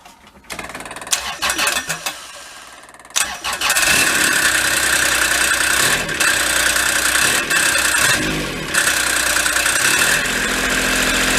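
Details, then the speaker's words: Kubota diesel Bobcat side-by-side, parked for years: engine catches and revs with a harsh, loud rattling roar from the damaged CVT drive clutch, which has blown holes yet still engages. "whatever blew apart made those holes it's still functioning as far as the clutch is concerned boy sure is loud though huh"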